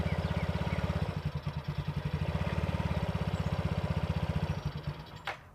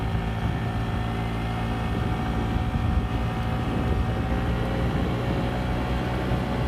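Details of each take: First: A Yamaha Vino 50cc scooter running its original, very dirty air filter putters at an uneven beat, grows weaker and ragged, then dies near five seconds: stalling from a clogged air filter. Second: Yamaha Vino 50cc scooter with new genuine Yamaha air filter, riding up the hill it got stuck on before: steady drone, pitch easing smoothly under load with no bogging; runs healthy after filter replacement.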